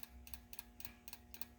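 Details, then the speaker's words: 1991 Mustang GT with rebuilt injectors, injector pulsed directly from a battery: crisp, even paired clicks about every quarter second as the injector snaps open and shut; normal injector operation. "the clicky noise okay why is it making that because it's making this injector open and close"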